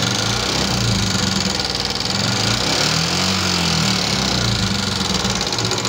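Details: 2014 Yamaha Jupiter MX carburettor motorcycle at idle: fast, busy "kletek-kletek" clatter over the engine note, loudest up top; rough-noise complaint, likely valve clearance or rocker wear.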